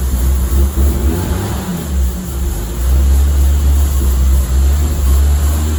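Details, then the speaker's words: 1986 BMW 325e sedan, sat for 7 years and would not start, running after a quick repair: a steady low engine drone with even firing and no knocks or misses. Normal running. "I bought it for cheap, and I was able to start it in 5 minutes."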